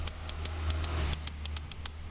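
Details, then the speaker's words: 1969 Honda CL450 electric start with the starter solenoid hooked up, key on and button pressed: rapid sharp clicks, about five a second, but no cranking; owner suspects a bad solenoid or a bad connection. "but the starter is not turning over so I think it's a bad solenoid or maybe a bad connection somewhere"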